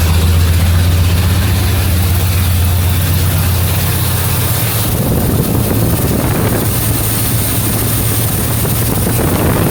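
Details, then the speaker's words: 1977 Mercury Marquis after replacing the leaking carburetor fuel line and removing emission parts: a low, steady idle drone for about five seconds, then the note drops away as the engine dies; it stalls after starting and won't hold idle. "I'll run for five seconds and I'll stall you turn out again an Ellis don't keep idling"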